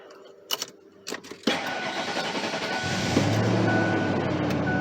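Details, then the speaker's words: 1998 Ford Expedition after replacing the positive battery cable (lights now brighter, pointing to a poor connection before): short crank, then the engine fires promptly into a steady even idle. Starting is normal, though it is sometimes a little slow. "Sometimes it has a little bit of a slow start, but generally it starts pretty well."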